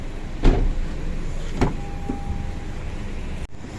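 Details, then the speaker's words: 2014 Honda Civic at 240,000 km, after driver door cover removed and lubricated inside: solid door thumps and smooth power window motor run without rattles; door and window working normally. "हमने driving door cover को हटा दिया है और इसे अंदर से चिकना कर दिया है यह अजीब लग रहा था अब यह अच्छा है"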